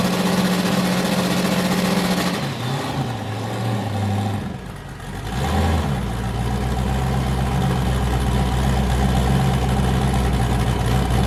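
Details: Boosted V8 with a new cam, just started after a repair; it had earlier made 23 psi, blown a coupler and sounded wrong. A choppy, rolling idle dips briefly, then settles into an even, hard lope on all eight: a normal lumpy cam idle.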